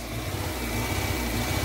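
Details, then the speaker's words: Fiat 500 that was run overheated until it stalled, with melted plastic, no throttle response and fluctuating rpm: a rough, uneven, lumpy run instead of a clean idle. Finding: engine misfire, cause under diagnosis. "So, we're going to diagnose it and have a look and see what's going on here because that misfire sounds bad."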